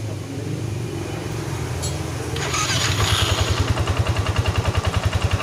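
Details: First-generation Yamaha NMAX after the ISC sensor was modified with a hose and refitted (before, idle rose high 10-20 seconds after starting): the starter spins, it catches after about two seconds and settles to a steady idle. Normal start and idle.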